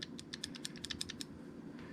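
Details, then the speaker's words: Winchester safe electronic lock latch after cleaning and lubricating with Real Magic (previously sticking, worsening; battery change didn't help): quick run of crisp light clicks over about a second, latch snapping through freely, no longer sticking; normal latch operation. "no longer sticking good as new"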